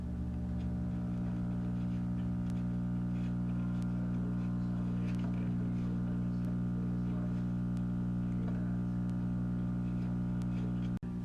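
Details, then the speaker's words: Mains hum from a 1936 radio after tube warm-up: loud steady low hum with stacked buzzy tones and no programme audio; likely dried-out electrolytic filter capacitors (two 20 µF can capacitors) that seem to need replacing. "Okay, so it seems like we need to replace the electrolytic capacitors in the radio."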